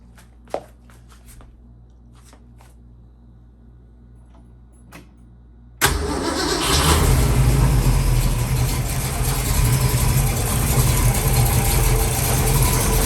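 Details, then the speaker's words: 1966 Mustang with rebuilt 289-based 331 stroker V8, hydraulic roller cam, 600 carb, idle set about 750 rpm: starter cranks, engine catches into fast rough idle with rattling, squeaking noise up front at idle; source not yet found. "i do have a problem up front here somewhere i've got this uh i don't think you hear that rattling noise that squeak yeah so when it's idling this thing is making a noise you probably hear it in the video"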